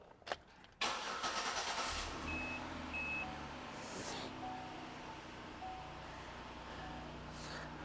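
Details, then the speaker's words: 2008 Buick Lucerne 3.8 with a stall-then-no-crank complaint, no other DTCs; brief starter whir, engine fires promptly into a quiet steady idle; normal crank and start while trying to replicate the fault. "so let's crank it up let it run and hopefully we can get it replicating our symptoms"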